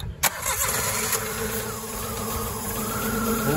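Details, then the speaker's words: Vehicle that sat unused for about 20–30 years, fresh premium fuel in the tank, started on starting fluid. It cranks, catches and revs unevenly but won't settle or keep running. It dies after the starting fluid burns off; the fault was narrowed to the fuel pump. "keep running ain't gonna suck no fuel could have a bad fuel filter or fuel pump too"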